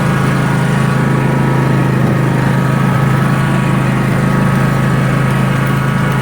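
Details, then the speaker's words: John Deere 300 series tractor with a 44-inch snow thrower, after replacing a twisted, slipping, broken belt. Strong, even engine roar and low hum, no surging or belt squeal, eating into a snowbank. Normal running under load. "it works for sure. Talking about. Look at that. Big giant snowbank. It's pushing it."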